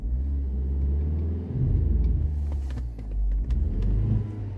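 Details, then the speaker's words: Audi A4 B6/B7 under load with handbrake up, after cleaning spark plugs: deep, uneven, stumbling rumble, heavy misfire on cylinder one, also slight misfire at idle; coil already swapped on that cylinder, so ignition coils suspected. "look at that so under load heavy misfire cylinder number one that could be a secondary ignition issue so either the spark plug's still bad which I doubt because I swapped the coil on that cylinder"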